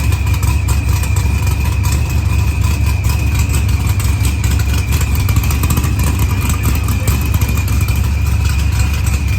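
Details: Dodge Challenger with supercharged LS swap and zoomie headers, after blown head gasket and fuel pressure sensor fixed, firmware V6 220, timing 27° (target 28°), idle leaned: low even V8 burble at steady idle, no misses, ticks or knocks; normal.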